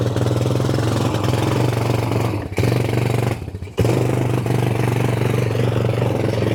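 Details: Vintage Massey Ferguson MF230 tractor being restored, trying to move under load. A steady drone sags and nearly dies twice as the load comes on, then drags back up. The engine is labouring, bogging and close to stalling.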